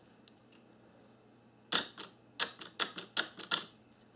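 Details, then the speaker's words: 1994–1997 Honda Accord door lock actuator bench-tested after repair: crisp quick clacks with clean silence between, no grinding or whirring in either direction, normal operation. "I'm going to bench test the actuator to show you that it's fixed when it goes in One Direction doesn't make any noise and when it goes in the other direction it also doesn't make any noise"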